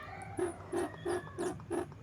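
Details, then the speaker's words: Truntung ST20 side oil pump hose check valve, sucked by mouth (blowing passes no air); six short reedy squeaks about three a second; valve seals properly, hose and valve still good, oil won't flow back under crankcase compression. "Nah, seperti itu kurang lebih suaranya. Nah, itu pertanda si selang oli ini masih bagus, valve-nya masih bagus."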